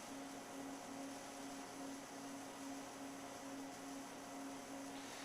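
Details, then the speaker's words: R2W-3 MIG/TIG combo pipe welder running EWM Phoenix root arc waveform (modified short circuit) on a root pass: soft, steady hiss with faint regular pulsing about once a second, no harsh crackle; forgiving, stable MIG root arc. "one of the other things you can notice is that arc is really soft if you can hear it in the background that's because we're using the ewm phoenix which uses a root arc waveform as well it's called root arc and it's a modified short circuit it's very forgiving"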